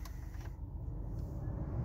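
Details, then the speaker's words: 2006 Chevrolet Impala heater blower, previously troublesome, at full blast: steady low airy rumble, even and free of rattles or squeals; blower working normally. "if you hear in the background heater fans working fine full blast no problem just gonna turn it down a little bit here so it's not so loud"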